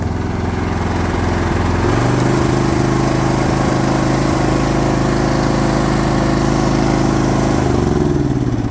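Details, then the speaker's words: Previously non-running Troy Bilt TB42 lawn mower after a new ignition switch and new battery, started on choke then choke off, throttle down: steady, even engine beat with a low throb and no misses or knocks. It now runs normally. "Just like that, we turned a $100 mower that didn't run into one that did."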